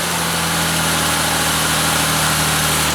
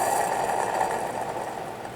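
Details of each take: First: Ford Escape engine started briefly with serpentine belt removed to bypass a noisy AC compressor: smooth even idle with steady hum, no squeal, whine or knock; engine quiet and healthy, AC compressor still needs replacing. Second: Ford Escape junkyard A/C compressor, engine off, pulley spun by hand: gritty, rough whirring that fades as it slows, with sideways play felt in the pulley: worn bearing, compressor being replaced.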